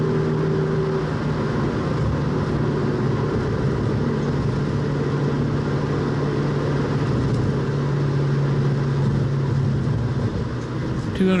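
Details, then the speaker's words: 1966 Mustang at freeway cruise with a new rear differential, short of its 500-mile break-in. A faint steady whine under the road roar, louder as it warms; the owner hopes it quiets after break-in. "mil on that differential so uh it's still a little noisy I'm hoping it breaks in by the time I hit the 500 Breakin Mark maybe it'll be [Music] quiet"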